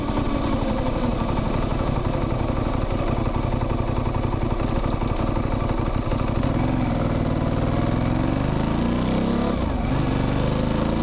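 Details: Modern motorcycle drivetrain on the road: engine pulses, then a chain chirp/whir climbing in pitch with speed, short clunks at each gear change; all normal.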